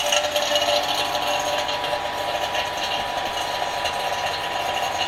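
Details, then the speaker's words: Ssangyong Rodius A/C repair, two-stage 8 CFM 1 hp vacuum pump evacuating the system before R134a recharge: steady, even pump run with light dry rattle and hiss, no labouring; pump has reached deep vacuum, normal. "ma pompe est un modèle assez puissant c’est une pompe à deux étages avec 8 CFM et elle fait 1cv là on entend que le vide est déjà pas mal fait"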